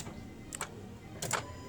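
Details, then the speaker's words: Honda Civic with a flashing key light that cranks but won't start, at key-on with the engine off: two short electric whirs as the throttle body actuates normally. No fuel flows because the immobilizer has disabled the fuel pump. "Okay. Okay. You can see it's on and you hear the uh throttle body just responded but there is no any fuel coming here."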